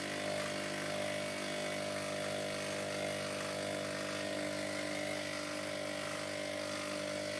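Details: Hotpoint Ultima WDD960 washer-dryer making a harsh, steady whirring grind with a faint rapid rattle, clearly not a normal spin sound; cause unknown.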